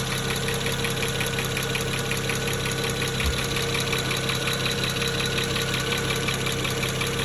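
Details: 2009 BMW 335xi with the N54 engine, injectors replaced with index 12 three years ago, no codes: quick, fairly even ticking over a slightly rough idle, unlike the usual N54 tick. Owner suspects a bad injector.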